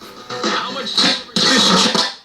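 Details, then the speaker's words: Vintage 1950s-jukebox-style AM/FM cassette novelty radio with a worn, dirty volume control, heard around its contact cleaning: harsh scratchy crackles and sudden level jumps; a broken control or a ground-side connection fracture is also suspected. "We just need to clean the volume control. So I'm going to use some Neutral on this one. And it probably wouldn't hurt to give the switch a clean too. There's where the scale is. That volume control is not in very good shape, is it?"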